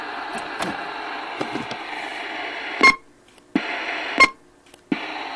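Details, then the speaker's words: RCI 2980WX radio on the stock hand mic (Echo Max unhooked): sharp pop each time the mic is keyed and unkeyed, dead quiet between transmissions; popping noise in transmit, cause unknown. "it's making that noise so if anybody out there knows the remedy to that i'd appreciate it thank you"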